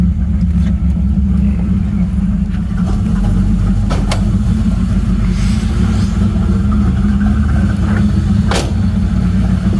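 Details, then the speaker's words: 1986 Camaro IROC at idle, foot off the gas: uneven hunting idle with a couple of sharp pops like it is trying to backfire before nearly stalling; rough erratic idle, code later pulled, cause unconfirmed. "nope looks like he's trying to backfire a little bit right then"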